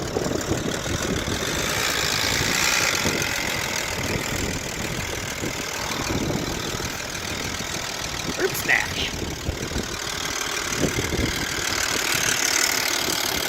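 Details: Volvo XC90 (project car, reportedly stolen) on a second start attempt: uneven idle with fast loose knocking about three or four per second, sounds like a diesel; loud engine knock, cause unknown.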